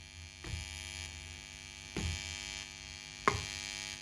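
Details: Busking amplifier powered through a pure sine wave power source: a constant low mains-pitch hum with buzzy overtones that changes with handling, worse when one part is touched and better when amp and base are both touched. Amplifier hum, source not yet traced.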